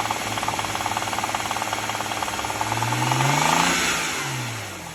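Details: BMW E93 N54 just over 100k miles: a fast, steady rattling tick when revved between 2,000 and 3,000 rpm, worst at 2,500, gone above 3k; owner suspects pulleys or lifters, cause unconfirmed.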